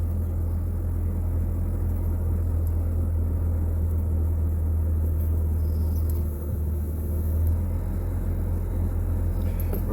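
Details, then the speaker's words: Vehicle at 200,000 miles, idling just after an oil and filter change and start-up: a low, smooth rumble holding steady with no tapping or rattles, quieting quickly as the rpm rises slightly; a healthy idle. "RPMs went up a little bit."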